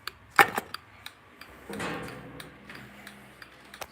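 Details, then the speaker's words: Automotive flasher relay wired to a Westinghouse searchlight signal, bench test: sharp dry clicks roughly twice a second, slightly quick, over light handling noise; the flasher relay is cycling normally. "this is wired up so i'll click that it works and here the relay going now that's clicking you have the automotive flows doing that"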